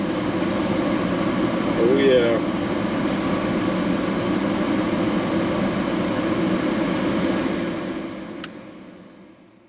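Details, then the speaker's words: 1995 Ford F-150 (OBS) after blower motor repair/replacement with AC electrical fixes, engine idling: steady even rush of air with low engine hum underneath, no squeal or rattle. Blower works well and AC blows cold. "Blower motor's good and cold or blowing good. And the AC is good and cold."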